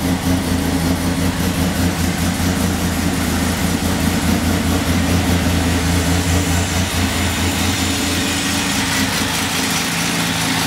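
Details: 1996 Chevrolet Beretta petrol engine idling after a timing chain swap: valve train tick gone, but a rough, rapid puffing tick from exhaust leaks remains over the steady hum.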